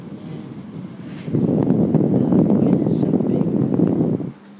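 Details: Sharp 1.5-ton air conditioner, three-blade fan, just serviced and cleaned after a drain leak: steady airy rush of strong airflow with no rattles, scraping or squeal; fan running cleanly.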